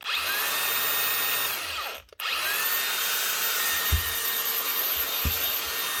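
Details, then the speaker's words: Makita DGA467 angle grinder after a new switch, given a quick clean so it gets air: steady high motor whine at even speed, brief stop then clean restart; repaired, running normally. "all right seems to fixed it seems to be running anyway just give him quick clean so it's actually getting air as well much better"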